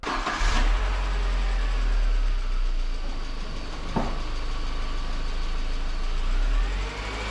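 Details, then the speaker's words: 2002 Audi A4 Quattro 1.8T idling after start: a faint, irregular light tick above the hum, heard by stethoscope on the valve cover near cylinder four at the rear; cause unknown. "it sounds like the ticking is like near cylinder four in the rear but I'm not sure why it ticks and I'll I'll show you right now I'll run the engine you'll hear it"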